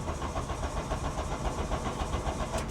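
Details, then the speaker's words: VW Cabriolet abandoned over 10 years, cranking: strong, even starter rhythm with no dragging or clicking. Fuel gauge shows empty, likely a bad sending unit from sitting. Healthy cranking. "it cranks healthy it shows no fuel which is probably a bad sending unit from sitting for years and years"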